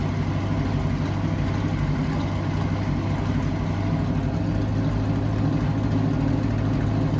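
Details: 1963 Chevy C10 small-block V8 under restoration, idling before mufflers were installed. A deep, steady, very loud low rumble with no muffling at all. Loud exhaust without mufflers.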